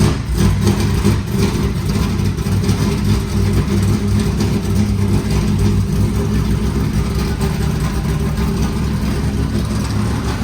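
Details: 1989 IMSA GTO Corvette V8 just started after 3 years' storage, rear raised: deep, steady rumble at an even, unbroken idle with no knocks or misses; smoke blamed on oil on headers; normal idle.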